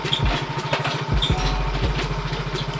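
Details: Yamaha X-Ride fuel-injected motorcycle after repair: it used to die when jolted or taken off the stand on low fuel, and water in the fuel was suspected. It now settles into a steady, even putter at idle with no hunting or dying out.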